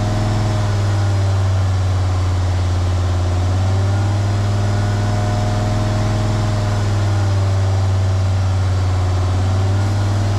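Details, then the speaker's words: Jeep WJ Grand Cherokee 2.7 CRD diesel with injector problems and black smoke, held at about 2000 rpm by bricks on the throttle while intake cleaner is fed in; deep, steady, even drone, and the smoke is reducing. "So then I decided to just start again, place some bricks very strategically, and get it up to about 2000 RPMs, so it's very stable, and that worked pretty well."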